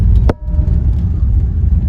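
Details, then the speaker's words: 1954 Ford Crestline V8 with Fordomatic automatic, on the road after repair of engine and gearbox leaks and abnormal gearbox noise: deep steady V8 rumble, no clunks, whine or slipping; gearbox smooth, normal. "Bon, pour faire un petit débrief sur la Ford après réparation. Donc la boîte est douce."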